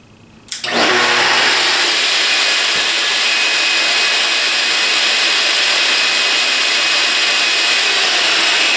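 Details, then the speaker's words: Festool TS 55 track saw back from repair and upgrade, switched on without cutting: motor snaps on to a steady high whine, even and smooth, no rattle or grind; normal no-load run. "all right that sounds good"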